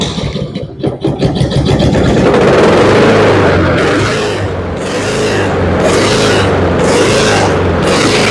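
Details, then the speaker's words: Honda HRX217 lawn mower engine surging at idle, speed rising and falling every second or two; oil black and overdue for service, carburetor suspected dirty, fixed by removing, cleaning and drilling the carburetor. "Okay, so with it surging like that, it's probably going to be a situation in the carburetor. Maybe it's got a little dirt."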